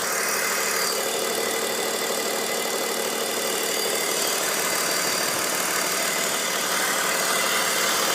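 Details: 2002 BMW 530i at idle: steady airy hiss over an even idle; owner suspects the CCV or vacuum lines, and also suspects VANOS seals and rattling VANOS bearings; cause unconfirmed.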